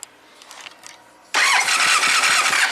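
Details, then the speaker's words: 1999 Triumph Trophy 1200, non-runner for a year, plugs wet with gas but not fouled, checking spark on cylinders 1 and 4 sharing a coil: steady fast cranking with even compression pulses, sounds normal, never catches; no spark found. "It sounds, you know, cranking sounds normal, so they're not fouled out. So let me reconnect the leads here. Alright, let's try to crank it over and just look for spark on both 1 and 4."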